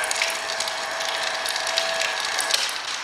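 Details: Hobart A200 food mixer right after reassembly with gears transferred and keyway fitted, covers still off; fast even ratcheting gear chatter with steady mid-pitch hum, no grinding or clunks. Normal running, repair works.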